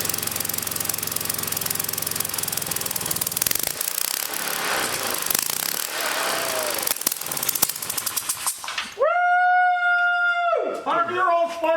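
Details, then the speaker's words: 100-year-old Model T spark plug fitted to an old small engine for a test, fuel fed from a jar: quick, steady firing about three beats per second with no misses, then dies to a steady whistle; plug still works, engine running cleanly. "still working that was awesome"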